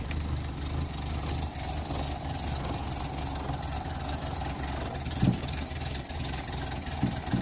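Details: 1986 Renault Super 5 GTL 1.1 petrol, cold just after first start in months: a steady low idle with an uneven, slightly lumpy beat and a few thumps; owner thinks too much choke is on and it runs rich.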